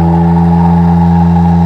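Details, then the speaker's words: Adams magnet motor run in attraction mode with reversed polarity, no longer self-starting, at 1200 RPM and drawing a few watts instead of 40: steady low hum with a rough, fluttering beat. Excessive vibration. "can hear the vibration is just insane vibrate around so let's start with the RPM"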